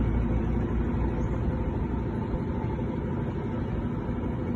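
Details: Steady low rumble from a Consul CWL16 top-load washer on spin after replacing the tub support damaged by a worn bearing, with no knocking or banging from the tub; normal spin cycle.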